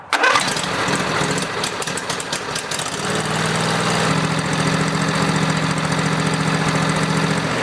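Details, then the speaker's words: Lawn tractor engine after a fuel filter replacement, fuel valve turned on: brief crank, catches at once and settles into a smooth, even idle with a steady beat and no misses; normal start. "if you do have a fuel valve now you can turn it on and now you can start the engine to make sure everything's okay"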